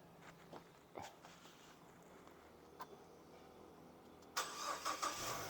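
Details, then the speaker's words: Nissan Livina X-Gear L11 HR15DE after an engine rebuild, with fresh oil, coolant and CVT fluid and a charged battery, after cranking with the fuel pump unplugged to build oil pressure: quiet clicks, then a clean first start settling into an even idle. "hidup ya Bos Alhamdulillah ya hidup hii hidup Ya Alhamdulillah udah hidup"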